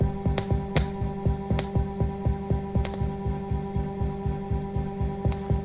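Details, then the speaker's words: Rafferty Timepiece Triple Analogue tremolo pedal, which the owner complained was choppy and clicking: with a 330 nF cap paralleled on the oscillator a repeating thump over hum remains, and it gets much worse when the cap is removed. "Let's plug it in. Still hear the thump. Oh, it gets much worse when I take it off."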